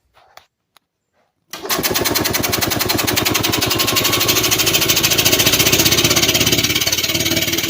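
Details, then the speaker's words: 1985 EZ-GO two-stroke golf cart, started by pressing the gas pedal: cranking chugs and almost fires but never runs. Gas gushes from the overflow tube and the orifice tube rattles, so a carburetor problem is suspected; the cart was possibly run without mixed fuel. "just by pressing the gas pedal and you heard the engine actually almost fired off that time"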